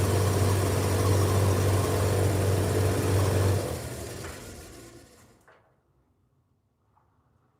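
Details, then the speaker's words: Dryer fan spinning: heavy low hum with a steady wobble about four times a second before spinning down. The fan is out of balance, the shaft is in poor shape, and the bearings are audible. "Which part of it is out of balance? Hold up. This part here seems... Yeah, the shaft is like really crap."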